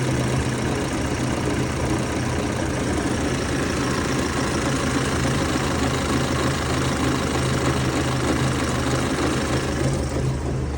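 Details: Austin 7 small four-cylinder, first start after sitting since 2007 (was seized, freed up, fresh petrol and water), settles into a steady low idle with an even beat and no knocking; normal idle.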